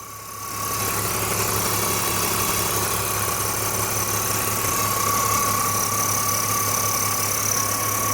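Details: BMW E46 330i engine at idle: steady idle with a thin constant whine and busy ticking chatter on top; abnormal engine noise at idle, cause not clear.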